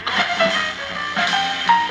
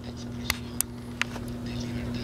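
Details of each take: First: Vintage GE P977 AM/FM transistor radio, which had been quiet, after capacitor replacement: music plays loud and clean with no crackle, dropouts or hum. An intermittent ringing and FM flutter were noted elsewhere. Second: GE P977 AM/FM transistor radio, late 1960s–early 1970s, very quiet output: steady low mains hum with only a whisper of audio and faint clicks, same on AM and FM; failed filter capacitors.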